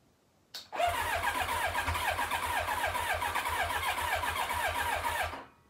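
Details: 1990 Kawasaki ZX-7 Ninja, stored for years, cranked with carburetors removed and carb cleaner sprayed into the intakes: the starter churns evenly for about five seconds with only faint stumbles, never catching; the owner suspects far too much air.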